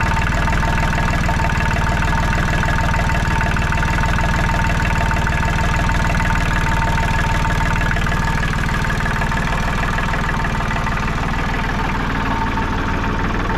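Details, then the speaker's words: Diesel tractor started after a new water pump was fitted, no more leaking: heavy, deep, steady, even idle rumble with no knocks or misses; healthy idle. "Well, let's fire it up. See if it leaks. There we go. We got no more leaking."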